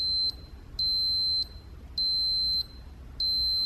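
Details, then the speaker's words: Automotive cooling-fan relay worked by hand: sharp beeps start and stop with the relay, contacts closing and opening cleanly, normal. "anytime this switch closes it turns our fan on so we could even actuate it by hand"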